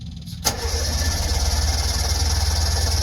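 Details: Two-stroke Subaru 360 van, not run for a while, battery freshly charged, choke pulled, half tank of gas: the starter churns at about four even beats a second but the engine never catches. Cranks without firing while the fuel pump is heard pumping.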